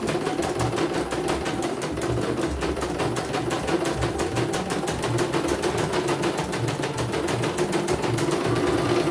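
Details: CNY embroidery machine (M21 label) sent in fully jammed with heavy rotation: quick, even needle clatter about three stitches per second, steady and unbroken, normal stitching.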